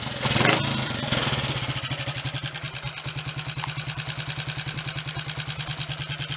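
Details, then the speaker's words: Triumph Tiger Cub after the distributor was turned back to its marks and its slipping clamp tightened: the engine catches, then idles evenly at about three beats a second; the misfire appears fixed, with a test ride to confirm. "Seems to have got it. We'll have a short run on it shortly and just check, but I'm pretty certain that's got it."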